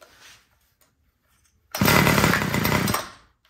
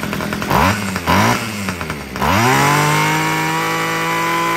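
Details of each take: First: Homelite two-stroke string trimmer that wouldn't start, primed and on full choke; catches, buzzes barely a second, then sags and dies; idle screw looks correct, low-speed carburetor mixture judged too lean. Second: Homelite two-stroke weed eater after richening the carburetor low-end screw: a few quick blips, then a clean steady high rev that holds; it had been too lean and running hot, now runs properly.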